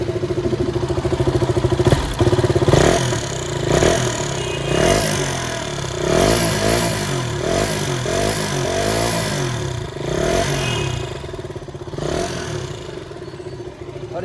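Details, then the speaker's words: KTM Duke 200 BS3 single-cylinder bike after a complete service fixed its earlier noise problem and rear brake: revs blipped up and down cleanly with no ticking or clatter; noise fully gone, engine healthy. "Guys ये check करो, इसकी service हो गई है complete. और अब इसकी sound सुनिए आप, जो नॉइज़ आ रही थी बिल्कुल ख़त्म हो गई है"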